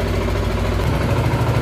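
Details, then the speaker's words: Zontes 125 motorcycle after flashing the Bosch MSE 6.0 ECU, started cooled then warming, blipped: steady deep even putter with no misses or hunting, sounds a bit more serious; holds revs well, reaches 10,500 rpm. "Motorek trzyma ładnie obroty. I leci do 10,5 tysiąca obrotów. Także jest dobrze."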